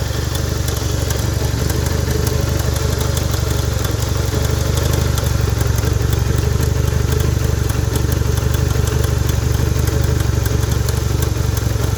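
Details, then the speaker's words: Honda 160 engine (Bros/Titan 160) idling with the cover open: fast, uneven metallic clatter from a slack cam chain, whose guide vibrates; the cam chain itself is not the fault, the chain tensioner is worn. "mas é só de quem aí ó corrente de comando batendo mas o problema é o tensionador esticador tensionador"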